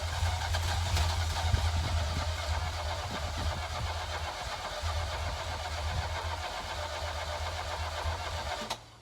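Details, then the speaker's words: 1983 Ferrari 308 QV V8 during rebuild, cranked with air intake part removed: starter spins engine evenly and quickly with no catch or firing, then stops; no start, possibly bent valves. "Okay, as you can hear, that didn't work."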